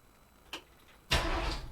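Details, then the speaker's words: 1959 Ford F100, 302 ci (5.0 L) V8, 650 cfm carburetor, C4 automatic, neutral safety switch bypassed: single click, short pause, then engine catches and fires straight into a steady run; cranks and starts cleanly. "see she starts so let's go over here and take a look at the connection there's the switch right there see when the shifter is in park"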